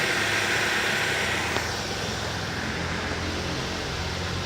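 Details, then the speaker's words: 2008 Ford Focus 2.0 16V Duratec automatic, after suspension work including rear stabilizer bushings: steady, even engine hum with background hiss once in gear. The earlier noise is gone, a normal running sound. "ó engatou e não faz mais barulho"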